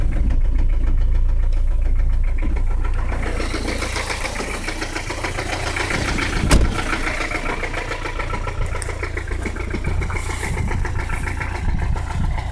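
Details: 1985 Peugeot 505 XD3 turbo diesel idling after hard driving: heavy steady knock about three or four beats a second over the diesel clatter; rod knock, engine needs replacing.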